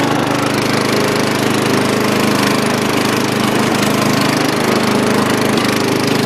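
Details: Dynamark riding lawn mower after carburetor cleaning, driven outside to test the long-unused deck: small single-cylinder engine at a steady fast beat with the deck spinning, no grinding or squeal; healthy operation.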